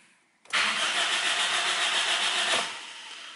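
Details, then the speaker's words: Car cranked on the key: the starter spins the engine briskly for about two seconds with an even whirr but it never fires. The fuel tank is empty, so it cranks but won't start. "s utility and it means the engine is trying to start but no any start and then I need to do my next thing and what is wrong and then I suddenly notice that hey my fuel tank is also empty"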